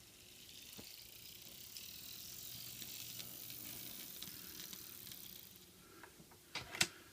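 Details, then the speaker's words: Walthers GP38-2 Santa Fe model locomotive on the track after reassembly: a faint high whirr and ticking. Still a little gear noise, expected to subside as it wears in; the noise doesn't slow the engine. "Still making a little bit of noise, but I think as it goes around the track a few times and it wears down, I think the noise will subside and then it will be okay."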